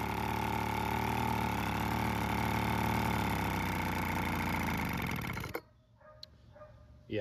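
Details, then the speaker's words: Weed Eater BV1650 two-stroke blower vac after about 10 minutes running: uneven, wavering buzz that sags and dies out, won't hold idle; carb out of adjustment, limiter-capped adjuster screw gave little change. "that's about what I thought so we'll have to go through the carb it does have a limiting cap on the adjuster screw and I did mess with that a little bit but um there wasn't much change in it"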